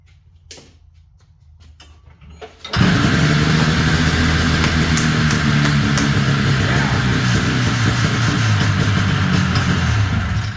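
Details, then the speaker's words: Ski-Doo 377 snowmobile found in a field, after repair: a few quiet pulls, then it catches and settles into a steady, even two-stroke buzz with no misses; runs healthy. "Let's try that again. That sounded great, didn't it?"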